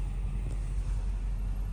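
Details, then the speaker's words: 1994 Caprice wagon LT1 after Torqhead install, knocking blamed on failed belt tensioner, normal with belt disconnected, VE tables not yet tuned: steady, even low rumble at idle, no knock or tick, smooth and quiet. Normal idle. "Real smooth and quiet like. And then we're gonna go dial in the VE tables like any other car."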